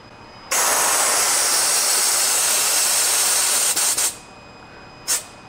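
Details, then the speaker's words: Pivotal Edge 104411 vacuum valve drawing the cover seal down through about a foot of air line: a steady hiss for about three and a half seconds that stops cleanly. This is a normal vacuum cycle; a 50-ft line would take longer. "that's about how long it should take to vacuum out all the air out of that seal"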